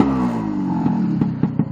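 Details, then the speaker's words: Running in a new two-stroke engine at tick over, rich screw backed out two turns: a quick rev blip drops cleanly and immediately back to a steady, even tick over, the desired return to idle. "so I'm on tick over and if I rev rev the engine can you hear that it goes straight down immediately back down to um take over"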